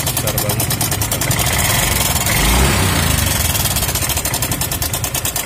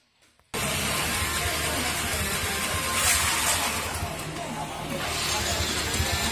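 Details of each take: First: Yamaha Mio M3 scooter idling with a fast, uneven metallic chatter like a sewing machine; slack cam chain from a weak tensioner, fixable cheaply. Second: Yamaha Mio M3 scooter after repair of rough "jrek jrek" sewing-machine-like friction noise: engine settles into an even idle, revs up and back smoothly with no rattle or ticking; now quiet and smooth.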